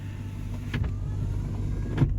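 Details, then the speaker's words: 1989 Lincoln Town Car Signature Series power window: low motor drone with faint scraping as the glass travels, teeth of the window motor felt hitting the regulator gears; owner suspects a non-original or wrong motor fitted. "it's making a rubbing sound and I can feel the teeth even when in my hand the teeth from the window motor hitting the window regulator gears"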